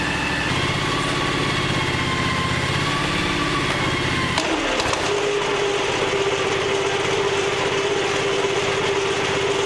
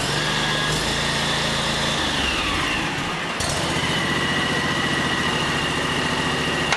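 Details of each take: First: John Deere X729 yard tractor after tune-up and snow blower attachment repair, oil changed: engine runs evenly, then PTO engaged and blower clutches in with a thump, followed by a steady mid-pitched whirr; normal running with PTO engaged. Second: John Deere X729 yard tractor snow blower attachment, started after refitting the chain drive and PTO to check the augers. Engine note drops and labors with an uneven clatter. Auger drive jammed and locked up.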